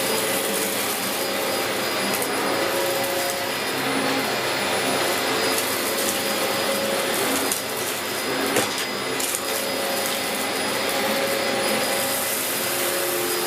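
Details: 17-year-old Dyson DC04 Limited Edition upright vacuum with a recently refitted belt, doing a big-mess pickup test: a steady, even motor roar with an airy hiss and no labouring; it is running normally. The brushroll briefly jammed once earlier.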